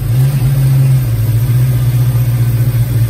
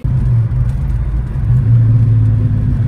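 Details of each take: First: Cold 1990 Mustang GT V8 with a high-idle and high-rpm breakup problem, owner suspecting a messy engine harness: holds a steady fast idle that won't settle; possibly just open loop when cold, problem not replicated. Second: 1990 Mustang GT Foxbody with new harness and UPR AC delete pulley fitted, plugs thought to be still gapped at 0.054 in for the Screaming Demon: deep, steady exhaust rumble with even beat, no knocks or ticks; running really good.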